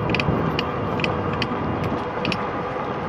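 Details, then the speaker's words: RadRover e-bike ridden at about 21 mph on a flat, slight incline: sharp light clicks roughly every half second from the pedal crank over tire rumble; rider suspects a cracked bearing, unconfirmed. "This clicking sound is the only major mechanical defect I think I've had experienced so far."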